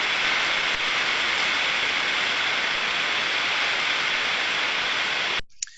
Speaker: this is what a bearing that requires lubrication will sound like as it is lubricated